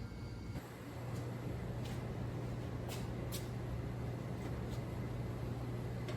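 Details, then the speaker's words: 1959 NAPCO Chevy Apache 1-ton, rebuilt 235 six-cylinder, first startup after oil priming and vacuum-pumping fuel to the carburetor: catches right away and settles to a steady even low rumble, oil pressure up, no leaks; normal start and idle. "so i can swing turns like a kitten no leaks we got oil pressure fire's right up okay fire's right up"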